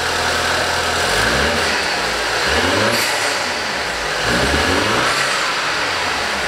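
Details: BMW X1 on its first start after workshop work, with the battery recharged beforehand. While revving, a harsh, hissy mechanical racket rises and falls with engine speed and startled the crew. Abnormal engine noise, cause unknown.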